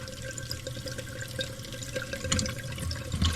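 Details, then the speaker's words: Old toilet before replacement, jets clogged with mineral deposits and fill valve bad; water keeps trickling and hissing into the tank with scattered drips and no shut-off; running toilet, faulty fill valve. "Your fill valve's no good either. It won't stop at all. It's just constantly running, so the fill valve's bad also."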